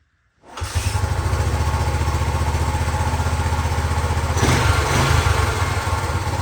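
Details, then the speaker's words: 1974 Honda 250 XL motorcycle, reportedly only 60 psi compression, kickstarted with no throttle after carb work: catches at once and settles into an even thumping idle around four beats a second, no misses or knocks; normal start. "It started up pretty easily. Let's just yeah, let's just kick it over one more time. Let's just hear it start again."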